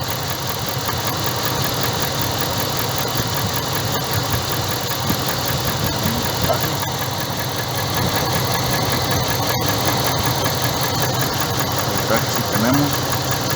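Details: 2012 Dodge Ram being checked for a fault, coil plug disconnected for spark test, computer cuts that coil's signal; lumpy uneven idle with irregular stumble, induced misfire, one cylinder dead.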